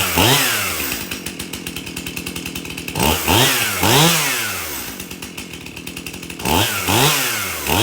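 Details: Stihl MS271 chainsaw, brought in hard to start, tested at shop door with bar and chain refitted after service: starts easy, crisp two-stroke revs to a steady high scream in the cut and drops back to idle; runs well.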